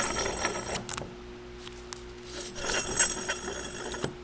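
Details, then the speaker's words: SR20DET A/C compressor on the bench, clutch freed by working the pulley back and forth, powered while pulley spins: crisp metallic clicks over the pulley whir; clutch now engages cleanly, much better than before. "And you see how the clutch engages when powered. And you can also really hear it engaging much better than before."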